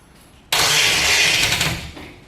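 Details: HT Holden 253 V8 swap, first start attempt on a weak 6-cylinder battery: one loud sharp cough with a hiss while cranking. It is backfiring through the carburettor, and the owner suspects the distributor is installed 180 degrees out.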